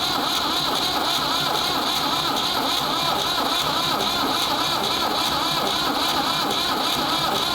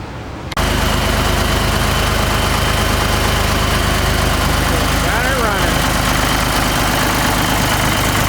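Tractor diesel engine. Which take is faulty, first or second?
first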